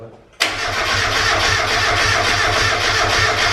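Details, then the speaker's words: Mk1 Mazda MX5 with a turbo kit just fitted and coolant just filled, cranked deliberately with the ignition not plugged in: the starter engages sharply and spins the engine at an even, rapid churn of about four beats a second; it never catches. "yes it won't start but it doesn't see it crank oh i'm scared i'm doing it yeah i've cranked it but she's not plugged in"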